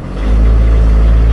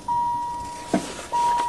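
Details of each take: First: Van converted to Jetta diesel engine, sat since fall, started after priming the injector pump: deep steady cold idle, even beat, no misses or knocks; noisy but healthy when cold. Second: Diesel caravan van with a converted Jetta engine, sitting since fall, with a corroding injection pump; cold start lever and glow plugs used. Repeated starter churning under a dash chime, with compression beats but no firing; the injection pump seemed empty of fuel. It was fixed by hand-priming the pump with diesel.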